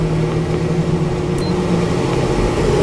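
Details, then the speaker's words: Whynter ARC-14SH 14,000 BTU portable air conditioner in fan-only mode on full fan speed, about 65 dB in a bedroom: smooth, even whoosh with a low steady hum and no ticks or rattles. Fan running normally. "first I will run the machine in the a fan only mode that's turned on so this is no fan only and this is full our friend 65 decibels without my voice"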